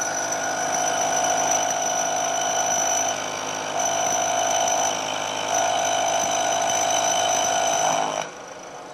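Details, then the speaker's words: Milling cut with the workpiece cantilevered out of the vise jaws gives a loud, steady ringing screech. This chatter vibration grows as the cut nears the unsupported end and gets worse the longer the part, causing a poor surface finish. "vibration and you can imagine that that gets worse and worse as the part gets longer and longer"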